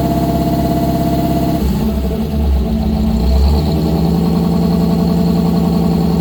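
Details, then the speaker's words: 1955 GMC 100 with freshly rebuilt 327 small-block V8, first run on a fresh battery: deep even idle with quick throttle blips rising and falling cleanly, no knocks or misses; normal idle and revving. "I would say that's a success. I got a lot to clean up. Quite a few more things to do on the truck, but it runs."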